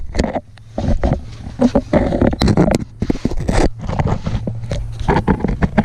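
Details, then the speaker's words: 1986 Nissan 720 pickup with Doug Thorley tri-tube header and no exhaust pipe fitted, driven to exhaust shop: loud, raw, popping bark that surges with each throttle blip; open header exhaust. "so if you guys want to hear what open with the open header sounds like it's not pleasant so if you've got your headphones on you want to turn the volume down now"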